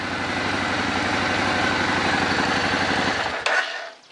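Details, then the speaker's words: Suzuki Boulevard that sat for years, after carburetor sync with vacuum gauges and mixture adjustment: an even, rapid exhaust beat that rises cleanly with throttle, crisp response, then a sharp shutdown. This is normal engine revving. "All right, that sounds good. Nice crisp throttle response. Everything synced and in tune."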